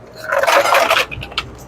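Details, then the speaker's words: Newly installed Hoshizaki ice maker mounted on a soda machine: about a second of ice cubes clattering into the bin, then quiet; normal ice harvest. "I don't know if you can hear it, but you can hear the ice dropping. It's already got ice in it now too. It's already dropped a couple of times already."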